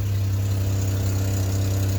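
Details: Engine idles steadily with a heavy, loud low drone and no clear knock rhythm, following a bad-battery replacement; something is unusually loud, source not pinned down.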